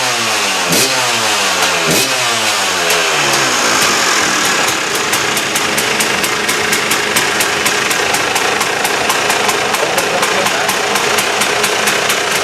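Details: KTM two-stroke after replacing reed valve: crisp blips rising and falling cleanly, then sharp steady high rev, no stutter or bog; sounds much better than before; normal revving.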